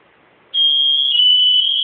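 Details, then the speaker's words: Smoke alarm test during home inspection: silence, then a loud steady high-pitched tone that holds evenly; alarm working normally. "yeah that's working I think that one was too"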